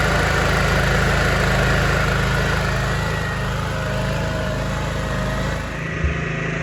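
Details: Kodiak 5500 W generator (Honda-type) with a dual-fuel propane/gas carburetor fitted last summer, run during an ice-storm power outage: steady, even low thrum at fixed idle speed with no knocks, misses or hunting; normal idle.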